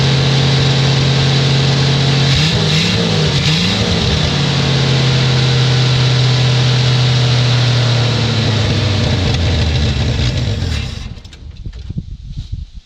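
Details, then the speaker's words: 1967 Chevy II Nova, sitting 30 years, first start on bottle-fed gas, radiator leaking. It catches and runs steady and even with a firm low tone for about ten seconds, then shuts off. Normal running. "so well there we go we have a uh a running vehicle hopefully that was a pretty cool show"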